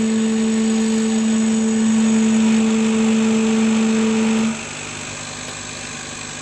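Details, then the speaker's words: Chinese laser cutter cutting at 5 mm/s: the stepper motor gives a steady buzzing hum with a fast regular stutter, rattling as it stops and starts at crawl speed; suspected cause of the jumpy cut. "you can hear the stepper motor making a hell of a rattle as it's trying to stop start stop start stop start"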